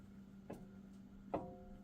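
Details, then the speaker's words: 2018 Jeep Wrangler Unlimited Sport, front axle passenger side, rocked by hand: sharp metallic clunks with a brief ring. The universal joint into the front differential is worn, with visible movement, and needs replacing. "See how you can hear that clanking? So that universal joint is starting to go"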